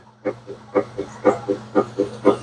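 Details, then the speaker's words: Whirlpool stacked washer-dryer, direct drive washer, after replacing a transmission that leaked oil from a bad seal (oil stains on clothes): soft back-and-forth agitation strokes about twice a second with faint motor hum, no grinding or knocking; quiet, no oil drip. "Ooh, hear that? That's quiet. That's the sound of a brand new transmission."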